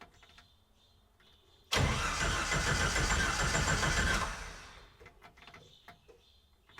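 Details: Red Willys Wagon on Jeep YJ drivetrain and fuel system, after fuel pump replacement: after a quiet pause the engine catches right away and settles into a steady run; clean, healthy start.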